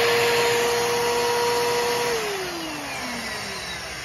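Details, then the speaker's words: Trash-picked older-version Bissell Powerforce Helix Turbo 68C71 vacuum: steady high motor whine with a coarse hiss, described as "grish wiish", then winding down as it coasts. It runs rough, the wheels sound bad, and it smells of pet hair and water. Cause unconfirmed. "it sounded kind of uh kind of grish wiish wiish grish kind of thing"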